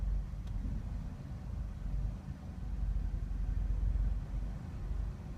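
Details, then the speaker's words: 2004 Dodge Stratus 2.4 L, P0300 random misfire, new spark plugs: deep lumpy idle with uneven shudder, engine shaking from misfire, worse under load in drive/reverse. "that shaking there that's actually the the car that's misfiring"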